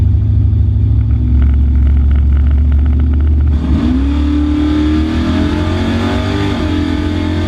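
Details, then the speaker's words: Trans Am V8 at the drag strip after lifter replacement; pulls hard then breaks up and stumbles near the top, cutting out around 6600–6800 rpm; new lifters didn't fix it, cause still unknown. "it didn't fix the issue so it cuts out around 66 6800 for some reason we we can't seem to figure it out"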